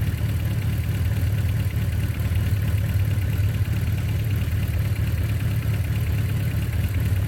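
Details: 1982 Suzuki GS1100L after mechanical restoration, warm (not a cold start), not fully broken in, idle turned down: low, even idle with a steady soft pulse and no knocks or misses; runs smoothly.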